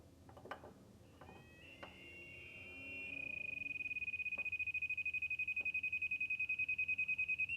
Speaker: you can hear the audible siren go off much louder and my leak detection light is on confirming that there's a leak somewher